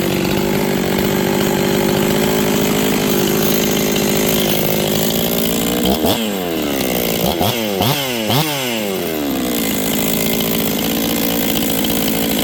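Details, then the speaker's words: 266XP chainsaw, first run after a top-end rebuild: a steady high howl, then throttle blips where revs build slowly. Sluggish low-end response because the final carb tuning is not yet done. "flipping the throttle you guys can hear it's a little lazy off the bottom I haven't done my final carb settings yet"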